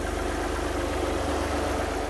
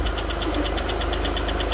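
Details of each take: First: Alfa Romeo GTV V6 after cam belt change; slightly ticky on startup, then after about two minutes smooth even idle, steady low hum, no ticking or knocking, timing correct; normal idle. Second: Alfa Romeo GTV V6 unstarted for several years, first start after cambelt alignment and new gaskets: fast even light ticking over a steady idle; hydraulic tappets noisy as oil has not yet reached the top of the engine.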